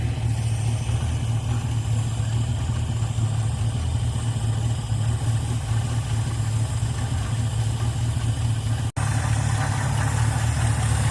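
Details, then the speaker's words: Ford Fairlane V8 with a newly installed Holley two-barrel 500 CFM carburetor (replacing a 350 CFM) and a manual choke, at about 800 rpm: deep, even, smooth steady rumble with no misses or knocks; idling healthy. "Oh, there it is. That's a Holly two barrel 500 CFM. And listen just how smooth that thing is running."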